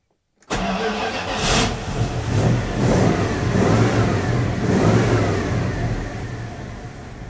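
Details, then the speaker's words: 1980 Dodge W200 Magnum 5.9L V8, Holley 600 cfm rejetted to 66s, engine cooled down; starts instantly, crisp blips rise and fall cleanly to a settled idle, clean at 2500 and 4000 rpm with only slight bog. "when I held it up to like 4,000 RPM it super clean I held it to like 2500 clean it wasn't like missing and stuff"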